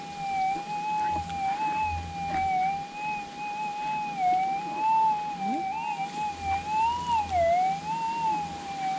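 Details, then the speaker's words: Minelab GPX6000 metal detector in noisy Warwick goldfield ground, switched from Difficult to Normal ground type, sensitivity 9, after ground balance: wavering high threshold tone over faint hum; ground noise from wrong ground type setting. "the problem is you don't know what's a noise and this is the problem with normal g"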